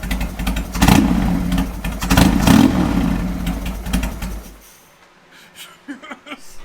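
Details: 2003 Harley Sportster 1250 V-twin after a top-end rebuild with new pistons and used cylinders to cure piston slap, first start on fresh oil: even, loping beat and a few clean throttle blips before shutoff.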